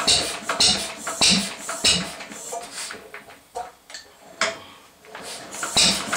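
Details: 1937 Lister D 2hp engine, first run in many years: slow, ragged beats with sharp cracking backfires at irregular gaps, stumbling between firings; owner wonders if timing is the cause.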